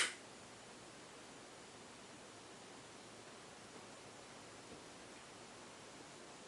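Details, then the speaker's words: 1991 HRS L-356 industrial ceiling fan after new bearings, on a solid-state control at speed 3 to 4: soft steady airy hiss, bearings very quiet, no grinding or rattle, only slight wobble. "can hear the bearings are very quiet"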